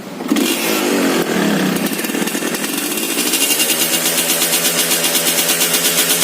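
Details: Suzuki Satria two-stroke underbone after restoration with a ported engine: fires up, climbs in revs, then settles into a crisp, even, buzzy pulse with no misfires or rattles; sounds healthy.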